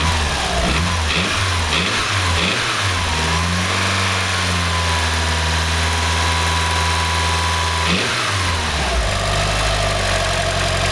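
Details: Mitsubishi 4G63 MIVEC 2.3 L engine idling, blipped and revved: light, dull knock under the note that follows revs; piston slap suspected, cause never found.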